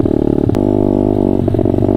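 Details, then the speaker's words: Honda CRF50 revving under throttle after carburetor work. The note turns choppy and stutters instead of pulling clean, with no power up high where it used to reach 42. Rider is unsure whether it needs more or less fuel. "No power up high. Yeah, just totally breaking up. I used to get to 42. Totally breaking up."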